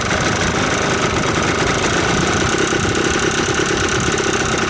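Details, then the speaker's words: Yamaha Blaster two-stroke ATV after top-end rebuild, cold start with a little choke, holds a steady crackly idle with no misses, knocks or surging; barely any smoke on 32:1 premix, nothing worn. "it sounds pretty good I'm un sure if you can hear me but it sounds good she idles uh no smoking still not even smoking after I did the rebuild and ran it for a while so it's not nothing's worn down yet"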